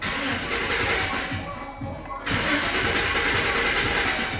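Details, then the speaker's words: Chevy with erratic gauges that starts and dies, fuel pump already replaced: the starter turns the engine over steadily and briskly but it never fires. Cranks but no start, traced to a bad negative ground wire running battery–alternator–body. "not starting all right so it's not fuel pump let me show you what it is so this wire here the negative with wire is right here"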